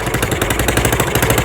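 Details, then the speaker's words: Yamaha Mio scooter stored for 5 years, now serviced with a replaced carburetor and its dead ignition coil found as the fault: quick, even idle that is louder and raspier because the air box was left open. "Ternyata teman-teman, aisnya yang dibuka tadi, makanya dia suaranya ya yang ini."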